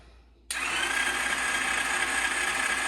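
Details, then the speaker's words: Champion mini bike cranking on the starter with compression but never catching, no spark despite a replaced CDI, stator, coil and plug cord; the existing wiring was later bypassed with a separate simple harness. "I would agree with you you don't have any Spark uh okay hang on just a second turn it over again I want it does have compression the engine is turning over"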